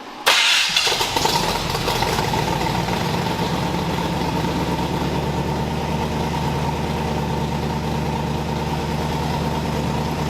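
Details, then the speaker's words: Freshly built engine in a 1981 Cutlass Supreme at cam break-in first start: cranks, catches quickly, settles into smooth even idle around 800 rpm with no knocks or ticks; sounds great. "yeah honestly I can't believe that I've built this engine and it sounds great"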